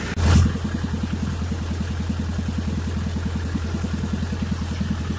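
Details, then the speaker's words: Miller Big 20 welder engine during repair, coolant leak suspected from water pump seal: fast, even pulsing drone idling well above its specified 1200 rpm (1800 when welding), checked with multimeter; idle speed way too high. "I think it's idling way too high it's supposed to idle at 1200 rpm and then kick up to 1800 when you weld well it sounds a lot higher than that"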